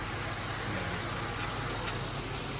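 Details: Honda holding a smooth steady idle after a small tube was found probably touching the throttle body blade (not a vacuum leak) and an oil leak was fixed; even low hum, no misses or hunting.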